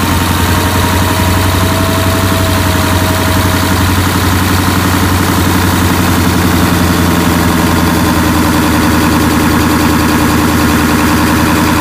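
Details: 1996 Ford F-350 7.3L Powerstroke diesel, first start after replacing the fuel bowl and a cracked, erratic fuel pressure regulator, checking for leaks: loud, steady diesel clatter at an even idle, no misses or surging.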